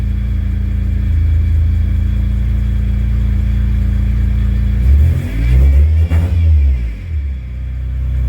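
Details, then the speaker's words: Car after replacing a bad fuel pump: smooth steady idle, then revs climb and drop cleanly with no bog; previously it wanted to die whenever the gas was pressed, now it revs right up. "every time i hit the gas it used to want to die this time it just rubs right up"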